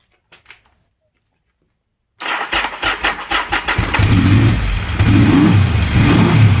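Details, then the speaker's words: 1981 Yamaha XS850 Special during carburetor synchronizing, gravity-fed from an overhead tank, breathers off, after reseating the slipped number one carb. After a short crank it catches without choke and holds a fast, heavy idle of around 1500 rpm. "Now it's idling a little bit heavy, a little bit high. It's idling right around 1500."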